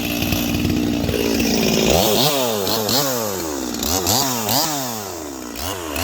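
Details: Holzfforma G255 chainsaw (MS 250 clone) after carburetor tuning, cutting maple: crisp two-stroke revs rise and fall about three times a second. It pulls cleanly through the cut without bogging and is running well.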